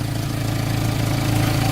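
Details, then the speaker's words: $300 Jetta, warm, after replacing a rusted-out resonator with a used one, clamps and muffler tape: steady, smooth, much quieter idle, no leak at the band, small leak further back; normal idle. "so much quieter than what you had is there any leak up there yeah but no leak at the band oh nice"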